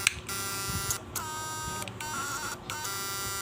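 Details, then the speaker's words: SNAPMAN 2022 Snap Inverter fish-shocker on 12 V battery, after repair: steady high electrical buzz with bright overtones in short bursts, louder with cover closed; working normally. "ลองเครื่องก็ต่อไฟเข้ามาก็ไหมครับดังๆแบบนี้นะถ้าเราปิดฝาก็จะดังเสียงใหญ่ขึ้นมันเทาเห็นหน้าไปนะฮะเสียงมันจะดังแรงขึ้นนะ"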